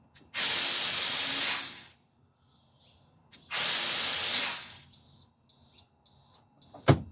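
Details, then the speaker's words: Air brake test draining pressure: two long air hisses, then a steady high buzzer pulsing about once a second; low air warning and buzzer came on at 70 psi, above the 60 psi minimum, test passed. "Okay, my low air warning and buzzer came on at 70 psi. Good test."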